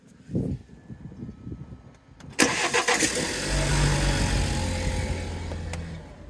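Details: 2017 BMW 530i, 48k miles, cold start: engine catches and settles into a fast idle with an irregular knocking underneath; both engine mounts and gearbox mount already replaced, knock persists, source unconfirmed.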